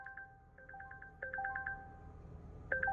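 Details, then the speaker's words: 2020 Volvo wrecked in a police pursuit, on its first start (fired straight up): bright two-note chimes repeat over a low engine hum. Dashboard warnings for engine coolant level and pedestrian protection service. "Engine coolant level, pedestrian protection service, engine coolant level."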